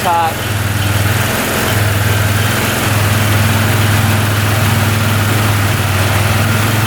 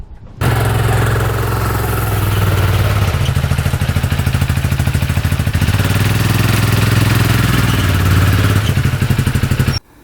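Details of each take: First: 2013 Arctic Cat Wildcat 1000 UTV, which bogged with no power and sometimes stalled at idle, idling during timing checks: both cylinders fire evenly in a steady, slightly fast idle, no misfire or stumble; sounds healthy. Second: 2013 Arctic Cat Wildcat 1000cc UTV; uneven, lumpy stumbling beat that won't settle, won't idle, cuts out off throttle, no power, bogs, some smoke. Sounds like it is running on one cylinder.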